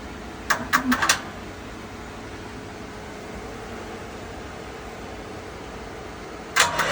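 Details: Westinghouse WGen10500TFc tri-fuel generator on natural gas, hard starting since purchase, needs about 5 minutes of attempts, runs normally once started: short cranking bursts, silence, another brief crank, no catch.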